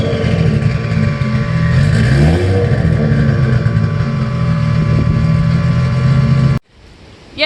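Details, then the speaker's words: Toyota MX83 Cressida 1G-GTE turbo drift car, 3-inch stainless pipe turbo-back to before diff, no muffler: deep raw booming drone swelling hard with each throttle blip; far too loud, muffler to be fitted. "so at the moment it's just a three inch stainless pipe from the turbo back to just before the diff it's quite loud it's quite noisy"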